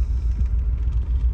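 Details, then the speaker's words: Volvo 940 just after a cold start, new idle air control valve fitted: deep, lumpy rumble rocking unevenly instead of settling, rough cold idle until warmed; owner suspects the worn distributor cap and rotor (plugs and wires already replaced). "let me fix my problem um it kind of has like a rough start um"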